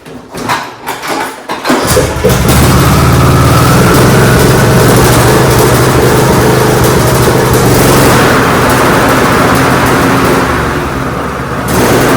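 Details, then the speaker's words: John Deere D105 lawn tractor Briggs engine with 42-inch deck, cranks and catches then surges, speed rising and falling instead of holding steady, suspected of causing deck vibration. A new spark plug didn't help; a broken carburetor spring was found. "So I know the motor's not running right, so I'm going to change the spark plug in it."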